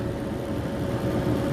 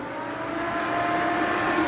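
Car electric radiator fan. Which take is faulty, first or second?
second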